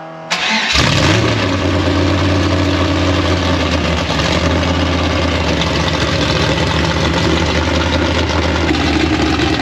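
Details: 1956 Chevy V8, start after a year-long rebuild: catches right away, steady even low idle, no misses, timing being checked and sounds about right.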